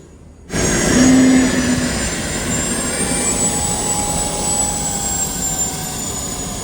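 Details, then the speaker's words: Boeing T50 turbine-powered Camaro on a lift with wheels up, after topping up transmission fluid: smooth, even jet roar with a high steady whine and no surging or rattles; turbine running healthy under load. "Wow, it's actually working really good. really good. It's almost like We should have just took off down the highway. This is gonna sound wild. Sounds like a jet flying overhead."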